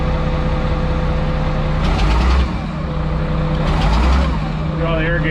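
Diesel idles steadily while short bursts of air hiss come roughly every two seconds; the air pressure regulator is hissing as pressure builds.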